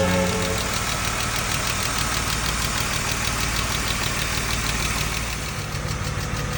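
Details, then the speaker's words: BMW M50B25 on first start after all 24 hydraulic lifters were replaced with new Kolbenschmidt units, with new oil, filters, valve cover gasket, plugs and boots; fast light ticking over idle for the first 30-40 minutes while the lifters were not yet bled. "вчера когда первый запуск сделали первые 40 минут 30 минут он тарабанил так как гидрокомпенсатор были не прокачены"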